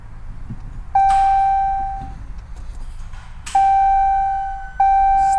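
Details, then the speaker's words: 2017 Dodge Challenger SRT Hellcat with a rebuilt 1500hp 6.2L supercharged Hemi: key on, repeated dash chimes, no click or cranking. Removed starter shows a loose, partly melted connection, suspected as the cause. "Still does not want to crank. All right, so I just pulled the starter out and I think I found my answer, because that does not look great in there."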